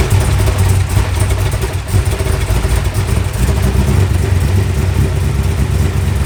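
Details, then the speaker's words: Loud cold idle with a fast, uneven clatter over the exhaust; noise was worse the previous day. Owner doubts the bottom end and thinks it sounds more like a valve; valve ticking on cold start, suspected sticking valve. "I mean it obviously has a problem period it's not like we can't put it on the dinos zombies it was oh it's still loud today it's just about fire and went away oh wow I mean yesterday was so much worse"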